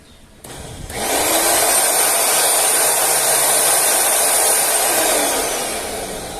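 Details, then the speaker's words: Braun blender brought in for a strange noise, motor base run alone without the driven part: smooth, steady high whir with no grinding or rattle; motor sounds great, so the noise must come from the removed part. "Bueno, amigos, como logran ver, entonces aquí ya no tenemos nada que moverle. ¿Por qué? Porque suena magnífico, suena muy bien."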